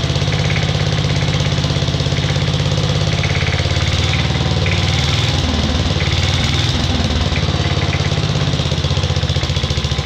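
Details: 1950s Agricat mini dozer, Briggs and Stratton model 23A after engine rebuild, coil and battery ignition, starter generator, cold start at about 40 degrees: fast even single-cylinder putt-putt, no misses or knocks; normal idle.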